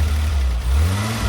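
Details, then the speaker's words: Renault Alpine GTA Turbo from storage, after applying 12 volts to wake a stuck fuel injector: clean, steady rev with even low drone and no shudder; vibration gone, now running smoothly. "Oh, that sounds way better. Before it was vibrating a lot, now it's not."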